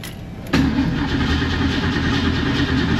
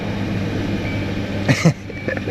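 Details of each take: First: 1970 Mustang cranks steadily about three seconds without firing; no fuel in the front carburetor bowl though the back bowl has fuel, good spark on a 20K spark gap tester; fouled plugs from the choke also suspected; fuel starvation. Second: After an aftermarket catalytic converter was fitted and its extra O2 sensor bung plugged, the engine idles evenly with a smooth exhaust note and no puffing or ticking leak, plus a couple of brief handling knocks; normal idle.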